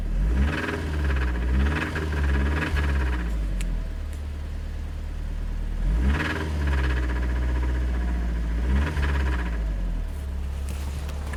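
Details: Mitsubishi Evo IX running unevenly with a lumpy knocking rhythm while revved, after stalling on the expressway with high oil temperature and running about 2.5 quarts low from burning oil; head/valve rattle or rod knock suspected.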